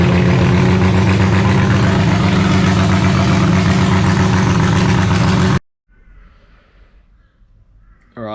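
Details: Holden grey motor in a HAMB dragster with triple Stromberg carburetors, during carb synchronization: loud, lumpy idle with uneven loping beat around four a second, then cut; big cam overlap makes it dislike idling at low revs.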